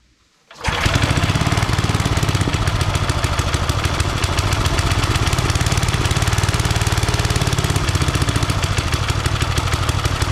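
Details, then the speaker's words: Old Briggs 5 hp single-cylinder on free homemade wood splitter, loose choke: fires up and chugs at a rapid, slightly uneven beat about 214 per minute; only stays running on choke, owner suspects carb needs cleaning. "It really only wants to run on choke, which means its carb probably needs a cleaning."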